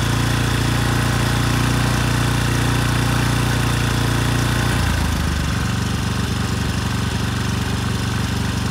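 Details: Rebuilt 10HP Briggs and Stratton Storm Responder generator engine (model 21T212-0116-G1), after a knock from an out-of-spec crankshaft, compression 60 psi, run outside at 2800 rpm: steady fast even thrum, slight shift midway; running well.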